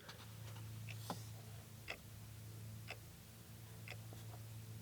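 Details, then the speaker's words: 1979 MGB, ignition in run position while tracing a starting fault: steady soft ticking about once a second over a low electrical hum as the old dash clock runs normally. "The clock is working. I've never seen a clock work in an old car. That's really cool."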